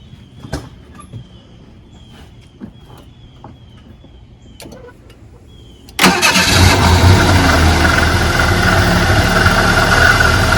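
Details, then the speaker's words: Roush Thunderbird first start after sitting for years, with new fuel tank, pump and Fox-body sending unit: fires after clicks and lopes at uneven idle, about four pulses a second; rough idle and hesitation, owner plans ignition tune-up with new plugs, cap, rotor and coil. "as you can see it starts now but it has a very rough idle so i got to go through and we got the ignition system"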